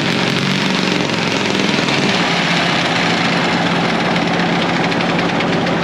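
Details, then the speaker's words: Main diesel of a late-1940s to early-1950s Caterpillar D6 cable dozer, barn find that sat for years, started via the pony motor with decompression thrown, now moving: steady even clatter, no knocks or surging. Normal running. "there you go that started we're moving"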